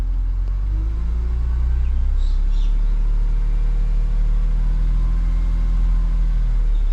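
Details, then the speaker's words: BMW E46 M3 S54 engine held just off idle after oil change with 5.5 litres of Castrol, still warm from residual heat: deep steady rumble with faint rapid uneven ticking rattle; suspected VANOS rattle, oil change didn't fix it. "And you can already hear it ticking. I mean, it's still obviously got residual heat in it, but my guess is this isn't going to fix it. Just going to bring it off idle a little bit."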